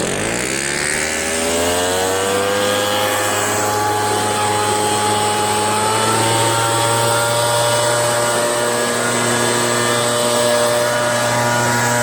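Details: RedMax EBZ8050 gas backpack blower two-stroke after new piston rings fitted for no compression (rings very tight, hard to start after many pulls): catches, whine climbs smoothly over a couple of seconds, then steady high drone; runs normally.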